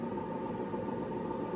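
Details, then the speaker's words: 1984 IBM 5160 XT computer at power-on: steady, even whirring rumble with a faint ring from worn bearings in the 120 V power supply fan; system otherwise sounds healthy. "at this point it sounds healthy the rumbling you hear is a power supply fan pretty common stuff it's 120 volt entry fan pretty hard to find"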